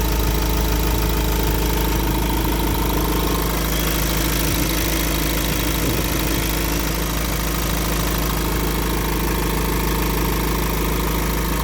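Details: Iveco diesel at idle with a loud, steady repeating knock of about three per second over a heavy rumble. Abnormal internal engine noise; the source is not identified.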